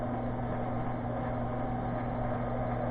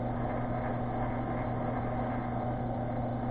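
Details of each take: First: ShopTask 17-20 XMTC lathe spindle running: steady hum with constant rough, gritty, crunchy edge; feed-rate lever pushed fully over forces one gear's face against another, causing the noise rather than bad spindle bearings. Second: ShopTask 17-20 XMTC lathe/mill feed-rate selector pushed fully to its stop rubs gear faces: steady hum with faint whine, then a click as it's backed off slightly, and the rubbing tone drops to a quiet, smooth spindle.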